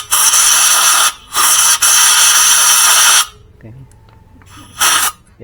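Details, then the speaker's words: Yamaha Mio J that stalled on the road with loss of compression, blamed on valve clearance tightening when hot: compressed air is fed into the cylinder and loud hissing bursts leak back past the exhaust valve, showing an exhaust valve leak; carbon deposits were found. "Kemudian kita tembak pakai angin. Lubang intak manivol danos manivol ini yang X dulu. Woh, bocor ya. Bocor banyak yang in aman sepertinya."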